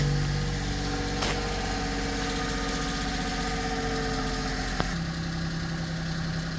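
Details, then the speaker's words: 1999 Mitsubishi MiniCab 4x4, 5-speed manual, 13,050 miles, fresh timing belt, plugs and filters, cold start: small engine idling with a smooth, even hum and no smoke; a faint valve tick, gone when warm, suggests valve adjustment. "Starts and runs very good. I like Mitsubishi's."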